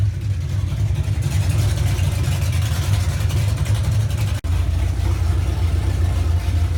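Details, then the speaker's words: 1981 Monte Carlo G-body with 355 small-block V8, camshaft, on ramps during rear end swap: deep steady idle with choppy lope about four beats a second, no knocks; healthy with lumpy cam. "let you guys hear what the cam shaft sounds like so it sounds pretty healthy i mean the throttle response on this is awesome"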